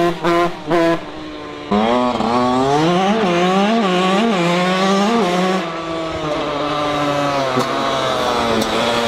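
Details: Yamaha YZ 125 two-stroke restarted after an engine failure and full engine rebuild: crisp blips rising and falling cleanly through the revs, no missing or rattle, engine pulls and revs freely; normal running.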